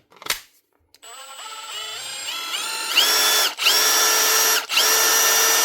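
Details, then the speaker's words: 2021 Milwaukee M18FID2 impact driver, previously loud and clicky, after a strip, clean and regrease that removed grit from the gear: clean motor whine climbing to a steady high pitch, no grinding; running smooth. "Look at that. Running like new. So more than likely it was the grit inside of here, but also every piece was stuck in that gear."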